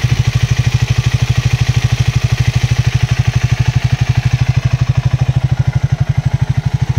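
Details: Triumph Speed 400 single at 7000 km, after its 2nd service, which cleared a noise. An even, steady thump at idle, about twelve beats a second, with no ticking: a clean idle.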